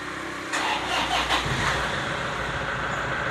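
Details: Diesel car, weak (soak) 70Ah 12V battery, 12.9 V on voltmeter before cranking: brief uneven, laboured starter whir, then engine catches and idles steadily.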